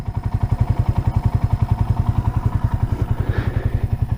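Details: 1978 Kawasaki KL250 single-cylinder, warm, idling after a break-in ride following a top-end rebuild with new rings; steady, even low thump with no ticking or knock, no oil leaks seen. Healthy idle.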